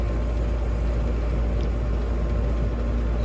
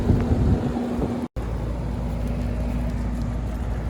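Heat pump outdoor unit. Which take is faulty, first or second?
second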